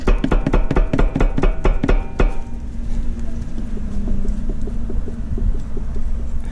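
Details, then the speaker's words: 2003–2007 Acura TSX, right side. Rocking the hub by hand gives a burst of sharp, irregular clunks at about two per second, with slight play; clicking over bumps is also described. Worn upper ball joint; the upper control arm is to be replaced. "You hear that noise? There's a plate. Very slight play. Okay."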